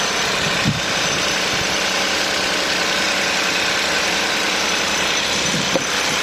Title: Cold start making noise. Hyundai i20 1.0 TGDI 101 PS. Any idea?